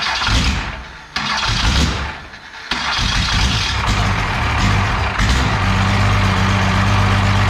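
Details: 12-valve Cummins diesel run on an engine stand out of the truck, first start after a rebuild for glazed cylinders (very low mileage, cause unknown; cylinders deglazed). A few uneven turns and catches, then a steady, deep idle with an even beat; sounds healthy.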